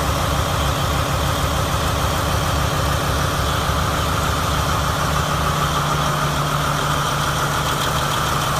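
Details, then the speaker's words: New 2017 MTU 16V diesel genset, 2250 kW, 1800 rpm, 3 hours' runtime, test-run from a temporary diesel tank: a deep, even idle with a smooth low rumble and no knocks, misses or surging. Normal, running properly. "Checked it out. Everything seems to be normal and running properly. It has a total of 3 hours of runtime on it."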